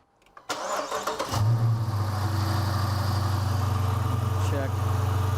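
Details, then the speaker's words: Dodge Challenger Hemi at 40,000 miles, engine started at idle: low constant grumble up front, heard with a stethoscope near the center while still unsure whether it's timing or an accessory; worn water pump bearing. "wow man i'll tell you brian it's resonating i got it somewhere in the center but i still can't tell if it's timing issue or an accessory"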